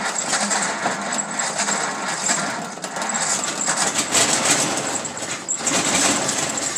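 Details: 1934 Ford sedan, rebuilt original 1934 flathead V8, first start in 30 years after distributor and coil rebuild, new plug wires, cylinders lubricated, oil changed, temporary gas can; catches and runs with even steady rhythm under hiss and clatter, healthy first start.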